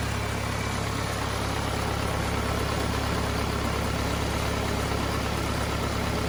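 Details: Cummins 4BT four-cylinder diesel in a Power Wagon, first run since 2015, temporary battery, 8 psi fuel pressure, not hot; firm regular clatter at steady idle, no misses or surging: normal healthy idle.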